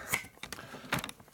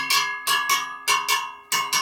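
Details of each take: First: 1972 Harley-Davidson Sportster XL wheel rebuild, spinning on a truing stand: sparse light ticks where the rim's high spot brushes the pointer, showing the rim is out of true and needs spoke adjustment. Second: 1972 Harley-Davidson Sportster XL wheel during lacing and truing, spokes tapped by ear: crisp, high bell-like pings in pairs, each ringing clear; spokes sound fairly tight and may need loosening so the rim can move over.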